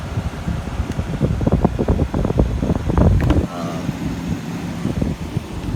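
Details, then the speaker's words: 1986 White Westinghouse 10,500 BTU window air conditioner after coil cleaning and reassembly: uneven clattering at first, then steady low fan hum and soft even drone; running normally, though cause of rotted corroded coil unknown. "okay i've got it back together i got my temperature gun working and uh this thing seems to be working"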